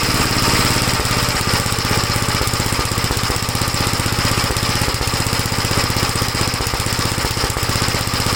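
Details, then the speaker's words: 1956 Gravely L single-cylinder after head gasket replacement and head bolt torquing (carburetor ruled out): steady fast-idle thump with uneven sharper pops mixed in. It no longer stalls dropping from high speed to idle but still pops; cause not found. "Well, it's a little better. It doesn't stall out when you bring it from high speed to idle. Still popping, you can hear it, but at least it's not stalling."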